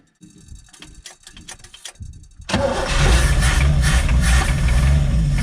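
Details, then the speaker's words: 1965 Chevy G10 van sitting about 25 years, first run with oil in the bores, choked and smoking heavily: rough loud run with a heavy low knock about three times a second, seemingly toward the back; likely worn-out engine. "you hear that knocking that right there know that knocking when it was running the motors got a bad knock and it sounds like back here towards the back so I'm saying it's it's probably not a healthy engine"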